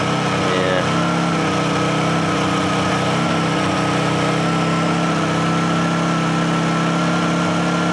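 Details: Second Honda generator after a choke cold start: steady, even hum with a constant tone and no misses or hunting; normal idle.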